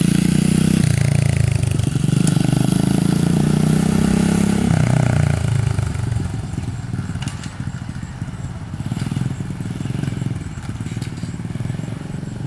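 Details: SSR 125 pit bike after cleaning a blocked pilot jet (it had died when the choke was turned off): the single cylinder revs crisply on the throttle, then settles to a lumpy but steady idle with the choke off; much better, though it still needs tuning and seems a little lean.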